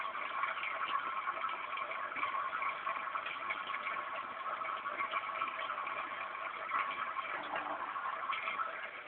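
Soft steady hum with light water trickle, even and unchanging throughout; the fountain pump is running normally.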